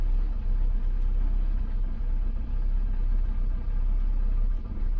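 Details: 2006 Toyota Camry engine with a low-rpm rumble, an uneven beat, and occasional dips and stumbles at idle. The misfire occurs only at low rpm; cause unknown.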